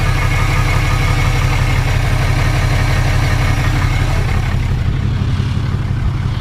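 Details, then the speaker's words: 2018 Cummins 6.7 diesel after fuel filter change and priming: deep even idle, steady low rumble, no stumble or misses; air purged, running normally, no leaks. "and honestly it sounds perfect it sounds normal as it should so honestly i think we got all the air out we got it primed and we're back in business"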